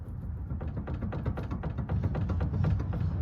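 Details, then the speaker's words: Sharp, hollow, uneven knocks about four a second with a low thump under each; a loose bolt that is hard to reach is suspected and needs tightening. "Anyways, I don't know what that knocking noise is back and forth."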